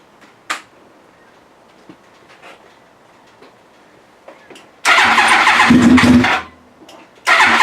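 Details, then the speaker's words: Yamaha R1 project after reassembly (fuel pump, tank, fresh fuel, wiring harness): quiet pause then two bursts of rapid cranking that almost catch but don't settle; turns over without starting on first attempts. "I finally got it put back together enough that it will turn over and I want to share that moment with you now because I want to get this thing running let's hear it"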